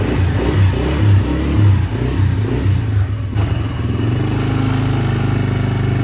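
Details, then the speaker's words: Polaris Outlaw 90 ATV, about 2007–2008, left sitting, run on a jump box with dead battery: small single thumps over a low rumble, then steadier revs, running cleanly without misses; revs and drives forward and reverse. "All right. So, there we go. It's running. It revs up. It drives, goes in forwards and reverse."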